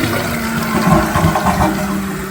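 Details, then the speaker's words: Toilet fill valve during flush/refill: steady low buzzing hum over rushing water, only while water flows; fill valve vibrating, suspected in its top or bottom. "It is vibrating. It's a weird little hum noise. It sounds like a VW."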